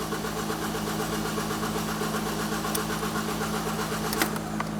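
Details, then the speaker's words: 2016 Ford Focus SE 2.0L automatic, fuel pump fuse removed to depressurize before high pressure fuel pump replacement: steady starter whirr cranking at even pace with no firing after it ran out of fuel. "So, now that the car's run out of gas and it stopped running, we're just going to crank it over a few more times."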